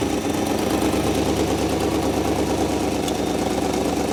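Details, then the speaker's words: 1958 Mercury Montclair Turnpike Cruiser, first start after sitting since about 1994, no coolant yet, oil pressure present: steady even idle with constant low rumble, no knocks or misses, spitting out rust; normal idle. "oh yeah see all your rust and spit out here yep running good"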